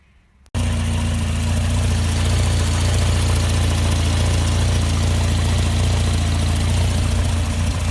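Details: Barn-find Volvo 480ES running on a replacement ECU, no engine warning lights: steady low idle with a slightly uneven, wavering pulse; not running as smooth as it can, rough idle, cause not yet known.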